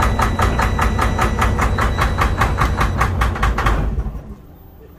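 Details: Detroit DD13/DD15/DD16 diesel with heavy smoke and no check-engine light: sharp, regular knocks about two and a half per second hammer over the idle until shutdown. Diesel knock from faulty, over-fueling injectors.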